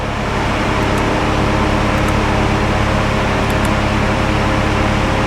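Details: Mk3 Audi TTS salvage car, engine running with no coolant in the system: cooling fans cut in at full speed, steady loud rushing roar over the engine hum.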